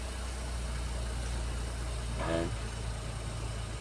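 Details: Geely Okavango 1.5L after no-start fault traced to the DC-DC system was fixed and steering angle calibrated: low, steady idle hum with no knocks or misses apart from one short clatter; running smoothly.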